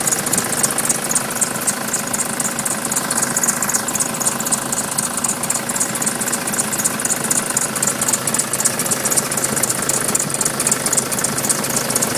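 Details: Nissan Patrol 3-litre turbo diesel at idle, also won't start unless jump-started: even clatter with a thin high squeak over it; squeak source not pinned by ear.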